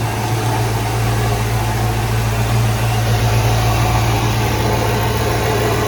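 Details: 1995 Ford Mustang GT after fuel pump and/or pressure regulator replacement: steady, even low idle rumble with no misses, knocks or hunting; normal healthy idle.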